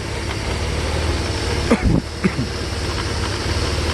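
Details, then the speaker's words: 1991 Mercedes 300E after fitting spark plugs to run smoother: steady, fairly even idle with a few irregular knocks and rattles; something loose banging in the engine bay, source unclear, not critical. "it just makes noise but when the engine is even it's more or less okay"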